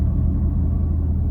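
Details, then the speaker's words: Fiat 500 (Cat S repair) after premium petrol and Redex: deep, uneven, lumpy idle with shaking; drives fine. Owner suspects the air intake pipe for the vibration and plans to check the coil pack. Rough idle, cause unconfirmed. "but as you can hear or see we're still doing it it's still rough it drives fine absolutely fine i think the vibration is uh"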